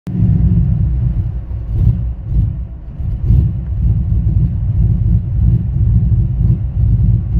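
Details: K1500 with a swapped 5.3 V8 and a 212/218 .600-lift cam: deep, lumpy idle whose loudness swells and sags unevenly every second or so; rough idle, cause not pinned down.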